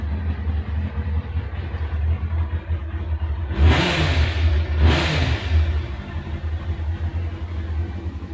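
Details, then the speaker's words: Kawasaki ZX6R motorcycle, already warm, with a longer, thicker exhaust can fitted after its MOT, recorded in an enclosed garage: even, deep idle and two clean throttle blips; mellow, quieter note. Normal exhaust note. "sounds much more like a standard bike it's not much more noisy than my car if I had my car in here fully made about that much noise"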